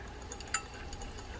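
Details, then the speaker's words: Restored reel, estimated about 100 years old (1920s–30s, maker unknown): quiet spin with faint ticks and a bright metallic chirp, louder once the tensioner is moved over; bent, slightly damaged spool rubbing, still running true enough to fish. "Let's move that over. Yeah, that's pushing it further this way. And now you can hear the chirp more."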